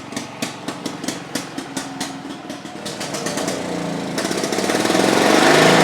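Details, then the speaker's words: Victa Pro 550 two-stroke mulcher mower after a small carburetor job and fresh fuel: the pull-start catches with a few pops and settles into a fast, steady, even two-stroke idle; running healthy. "How good is that, folks? Just listen to that idle. That is just fantastic."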